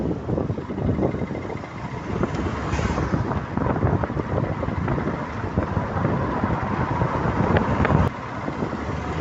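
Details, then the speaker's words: Ford Fiesta ST180 on road test after replacing the shock whose bad top mount caused clunking: steady road and wind noise, no clunks or knocks, barely a creak. "But as you guys can hear, this shock that we have replaced is magnificent. It barely makes a creep."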